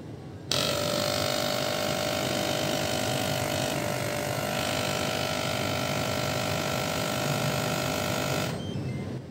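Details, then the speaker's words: Bavin PC1160 jump starter/air pump/powerbank, compressor running with pressure set to 37 PSI; loud steady buzzing hum with fast even chatter, no knocks or strain, fairly noisy but normal; normal compressor operation. "Kasi medyo maingay siya, pero normal lang kasi compressor eh. Normal lang yung ingay niya, hindi siya sobrang ingay naman talaga."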